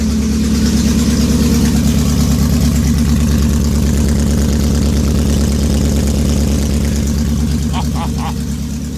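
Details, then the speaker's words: VW W8 first start after head gasket repair with rebuilt heads and VR6 head bolts, oil pressure still building, fuel pump primed: loud, heavy, lumpy idle about three beats a second, harsh throughout; rough running, expected for first few minutes. "it ran pretty bad for the first few minutes when I fired it up so I'm expecting that here"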